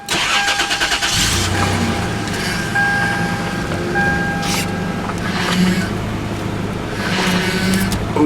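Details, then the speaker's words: 1997 Toyota 4Runner with leaking power steering, fluid just added, startup: thin steady whine over the engine for about five seconds, then fades; owner suspects a bad power steering pump or low fluid, assist weak. "Oh yeah, no, that pump sounds bad as well. It could just be low on fluid."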